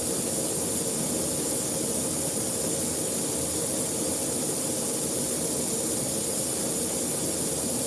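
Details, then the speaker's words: Broken tire valve core leaking: a steady, even, sharp hiss of escaping air; a new core was then fitted with a long core-installing tool. "Yeah, it's actually broken. Hold on one second. Y'all hear that hissing sound? You gotta fix that."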